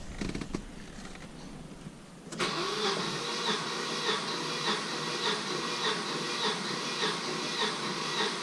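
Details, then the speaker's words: Volvo 740 with its original B230FT engine, 29 years old and about 425,000 km, compression test on the last cylinder (four): even cranking at about 100 pulses a minute; reads 150–155, all cylinders good. Normal compression. "all right guys so Lawrence here has perfect compression after 29 years of service and over 400,000 kilometers"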